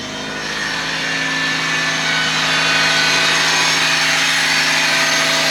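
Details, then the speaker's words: 1997 Honda Civic Coupe EX just fired up after fuel priming: a loud steady whine with a hiss over the idle, holding pitch; the owner suspects power steering, maybe the alternator, but the cause is unconfirmed. "be good I hear something that's loud I don't know if it's the alternator I think it's a power steering"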